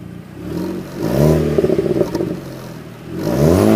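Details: 2.0T FSI with a Magnaflow exhaust revved twice, pitch climbing with each rev, with a raspy screech and clatter on top; source undetermined.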